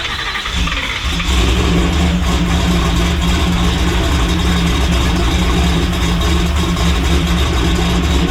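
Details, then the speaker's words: Boosted methanol race Camaro, cold shop with snow outside, held on the 4,500 rpm rev limiter before boost reached target: loud engine with rapid, uneven hard exhaust pops as the ECU pulls timing. "you can hear that thing popping really hard when we're pulling that timing out and um that's because it was still down in the booth so what is happening is it hit you know 4 500 rpm on the rev limiter"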